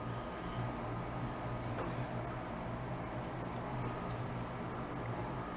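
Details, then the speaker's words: Old floor fan that would not spin up, after being taken apart and repaired: steady low hum with a soft even whir, no scraping or rattle, over background air-con drone; now starts up and runs normally. "cool i'm saying it's gonna stay working but definitely starts up now"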